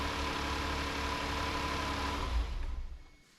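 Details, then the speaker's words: 2019 Hyundai Santa Fe XL 3.3L GDI, brief 10 to 15 second start right after a new serpentine belt install, idler bolt not yet torqued: even idle with no squeal, chirp or flutter, clean shutdown; belt tension feels good. "I just shut it off. Everything looked pretty good. I'm checking the belt. The tension feels nice."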